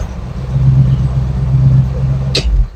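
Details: Restored Bombardier snow vehicle engine first started after work, with electronic ignition and drawing from both fuel tanks: steady even low drone with no misses or knocks until it shuts off; normal running.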